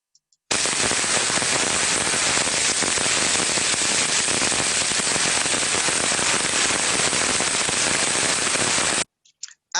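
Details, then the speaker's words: Heterodyned ultrasound recording of a bearing: hissing with irregular, sporadic, non-repetitive crackles over it, unlike the smooth white noise of a good bearing. Early-stage bearing damage. "when we have an early stage bearing failure like i say sporadic crackling noises this is what we may hear"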